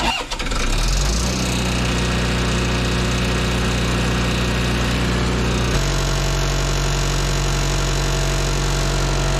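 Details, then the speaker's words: Auction-bought diesel welder that fell from a crane, with a loose worn drive belt: catches quickly, settles into an even, steady drone that shifts speed partway; good oil pressure, temperature still rising, healthy idle, later welds well. "we got great oil pressure temp is still coming up"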